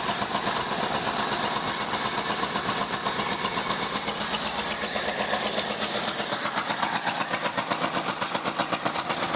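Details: Long-neglected 1975 Ford Granada V8 with no accelerator pump and the EGR gasket gone, idle turned up, choke on: an uneven, pulsing idle about four beats a second with a hissy, raspy edge. Still missing; cause unconfirmed.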